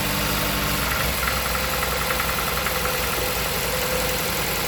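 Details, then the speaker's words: Jeep Patriot, 162,000 miles, codes P0302 P0171 P2096 P000A: shaky stumbling idle with a regular missing pulse, aggressive cylinder 2 misfire from a failed ignition coil. "could do, because this misfire is so aggressive, pull 1 that works, 2 that doesn't work, lift the coil up and see if you hear a pop."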